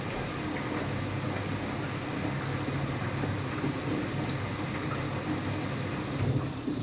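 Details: Empty washing machine on rinse and spin with no clothes, a loud continuous rumbling roar; owner suspects both the motor bearing and the drum bearing are worn, possibly with a slight leak, though none is seen.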